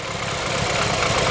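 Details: BMW F30 328i N20 engine at idle, stumbling uneven low beat as one cylinder drops out: misfire, cylinder 2 no compression from internal cylinder wall damage, blamed on daily abuse and modifications; drivetrain malfunction, oil consumption.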